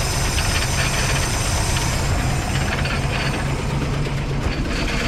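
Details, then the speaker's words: Van sitting 15 years, first start on starting fluid, smoking: rough uneven idle with loose slapping flutter from two unhooked belts for alternator and AC compressor flopping around; loose belt flapping. "there's two belts and the two belts go to the alternator and uh uh ac compressor for air conditioning and they're not even hooked up right now so they kind of like flanneling around like crazy in there so yeah that's that sound"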